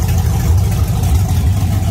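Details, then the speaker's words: Engine warming up near 193 degrees, no leaks: lumpy, uneven low idle with occasional stumbles, engine missing; owner suspects low fuel pressure, cause not yet confirmed. "You can hear it missing. I think that's low fuel pressure."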